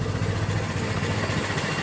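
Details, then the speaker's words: 1925 Ford Model T just hand-crank started, spark lever fully retarded; slow, lumpy, uneven idle with heavy shake, rough until spark advanced from the cab — rough running with retarded ignition timing. "and now you can hear the engine sounds a bit rough so what we're going to do now is return to the cab and we're going to advance the spark"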